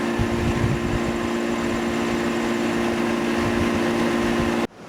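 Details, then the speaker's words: 1988 Tempstar AC condenser unit after fitting a new fan motor to replace the seized one: steady, even fan whoosh over a smooth compressor hum, no rattles or scraping, then shuts off. Fan turning the right direction; normal running. "all right direction sounds healthy"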